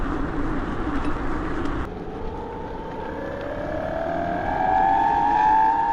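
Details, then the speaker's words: BBS02 mid-drive e-bike motor converted to 72V, road test at about 31 mph in first gear under 1,000 W: loud whine rising in pitch with speed; much noisier than it should be, owner suspects something still out of whack inside. "this will loud though man this thing's crazy I don't want to scare people"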